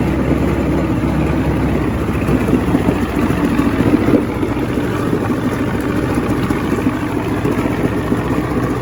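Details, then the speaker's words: 1970 Evinrude 85hp outboard with hydroelectric shift, about 50 years old, new water pump impeller, not mounted on a boat. Steady, even burble with no misses or knocks, a smooth low drone; a nice running motor. "i'll even help you mount it on the boat nice running motor can't wait for spring"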